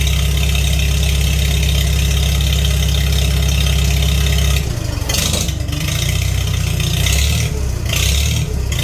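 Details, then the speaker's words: Farmall 300 Row Crop tractor, sat a while, test run after carburetor cleaning, started on choke: steady even low idle with no knocks or misses, note then shifts slightly; running cleanly, floats shutting off well. "So far, floats are shutting off beautifully. The fuel's still on. Started right up with choke, of course."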